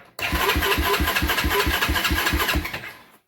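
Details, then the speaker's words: 1993 Honda TRX 300EX ATV after sitting, warmed indoors overnight, won't fire: starter turns over slowly at about three chugs a second, labouring without firing; weak battery slow crank. "so we'll put the battery tender on it because it sounds like the battery's weak and pull that carb off and see what's inside"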